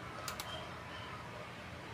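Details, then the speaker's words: Konzert 602 amplifier after replacing capacitors in the relay section; at power-on a couple of crisp relay clicks with no noisy rattle or chatter afterward, unlike before repair; normal relay click. "Yun mga boss, kung napansin nyo, pag on ko dito sa amplifier, hindi na natin narinig yung maingay."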